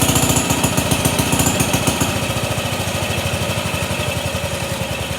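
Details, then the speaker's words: Pond lever steer (Jackie) single-cylinder engine with magneto, just got running: steady chug about three and a half beats a second with a light rhythmic scrape; suspected too-long bolt in the clutch, pressure plate rubbing the bell housing. "he did tell me about that noise he thinks that there's a bolt that's in the clutch that's a little bit too long so i'm gonna probably pop this top bell housing shell off and see if i can find wh"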